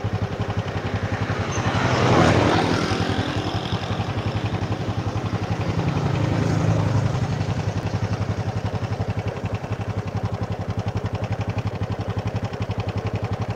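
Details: Supra motorcycle after replacing the cam chain and bushings, engine still rough: fast, regular ticking rattle, steady as revs rise and fall, like something loose inside. Throttle response lags and the drive chain is too loose; cause not yet found.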